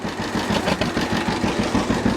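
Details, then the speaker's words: 1950 John Deere GW two-cylinder tractor (distributor ignition, live hydraulics, Char-Lynn power steering) running after start: slow, regular, evenly spaced idle putt with no misses or knocks; normal healthy idle. "so this is good running old g let's check it out a little bit just listen to it and i'll show you around so"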